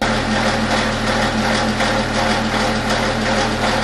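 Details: BMW F15 X5 (2014–2018) N57 diesel idling with a busy metallic rattle over the clatter, fairly even with engine speed; stretched timing chain, to be fixed by replacing the chain, guides and tensioner.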